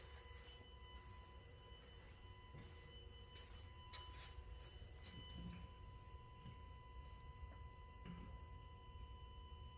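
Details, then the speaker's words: New Tesla Model X Plaid parked in a garage, with a steady high-pitched electrical hum and faint clicks that return when the car wakes. Temporary fix is turning off Sentry mode; cause unknown. "there you go that's the sound that's the noise so you I you could hear a click and that sound is there again"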